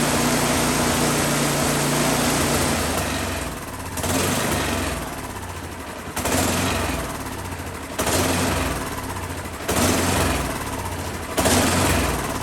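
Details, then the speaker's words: Husqvarna 10530 SBE snow thrower after sitting about four years, first start with choke on; engine speed swells and sags every two seconds, hunting and surging, better at full rpm. Owner suspects plugged carburetor idle circuit; later a blockage cleared. "Kind of hunting or surging, I think probably the idle circuit in that carburetor is what I'm going to guess is maybe needs to be cleaned out."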